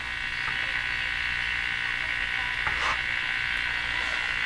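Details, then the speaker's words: FADA Model 652 Catlin tube radio with loop antenna and booster, tuning AM stations: steady buzzing hum with a fast pulsing edge under the tuning hiss, radio interference suspected from household sources; switching off the suspected source made no difference. "I'm going to go and try and shut off what I think is the noise sers here yeah that didn't make any difference so Perpetual hunting for sources of noise in my house"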